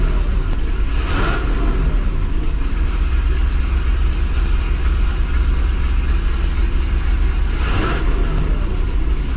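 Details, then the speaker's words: 2005 Chevy Corvette with headers, after welding new V-band flanges to fix two exhaust leaks: deep idle with two clean throttle blips, partial-throttle hesitation nearly gone; not fully sure resolved. "all right guys I think with that hesitation being like 99% gone I think we may have solved the problem here"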